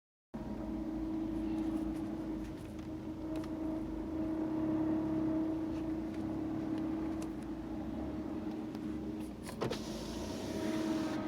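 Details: Ford C-Max pulling away: a steady mid-pitched whine over engine and road noise; source not determined.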